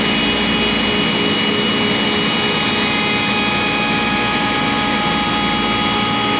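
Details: ShopBot CNC spindle cutting 6061 aluminum with a V-bit, constant shrill whine with gritty cutting noise, straining under heavy cut pressure; another clearing pass is planned so the V-bit won't hit two aluminum sides at once.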